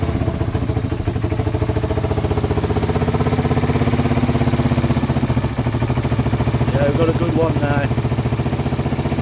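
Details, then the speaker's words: 1978 Honda XL250 single-cylinder barn find, after rebuild with fresh oil and tappets set: even low putting idle, steady beat, no ticking over the top, earlier bad noise gone; normal idle. "yeah i feel so much better now now set the topics on it it sounds great it's uh come a long way from what we started with"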